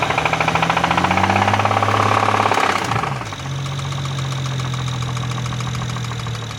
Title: BMW 335I N54 Engine Possible Rod Knock - Spun Bearing failure